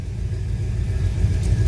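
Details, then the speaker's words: 1957 Ford Fairlane Ranch Wagon idling in neutral after start: deep, even low rumble with a steady, slightly loping beat, no knocks or ticks; healthy idle. "setup connect our works car we got a nice little rumble to it"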